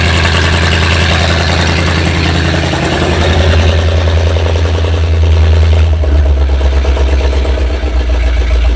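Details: 7600 tractor diesel after repairs, coolant loss and white smoke noted: running uneven and lumpy, beat stumbling roughly every half second, one cylinder seemingly dead; rough idle with misfire, cause suspected, not confirmed.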